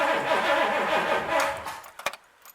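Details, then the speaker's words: Freshly rebuilt 1964 Pontiac 389 cranked before first start, oil pressure showing: even, rhythmic starter cranking for about a second and a half, no knocks or grinding; healthy cranking. "okay there is oil pressure okay so that's okay because you gotta remember you have lubrication in it too"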